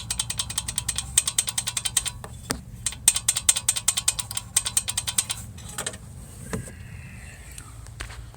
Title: GOLF MK7 1.4 TSI (KOREA) wastegate actuator rattle noise